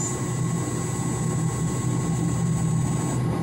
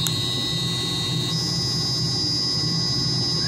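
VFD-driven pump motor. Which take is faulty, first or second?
second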